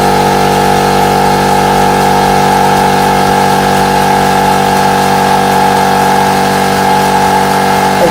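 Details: Air compressor running normally: loud, steady motor hum with constant pitch and an even pumping note, no knocks or rattles; it pumped up quickly.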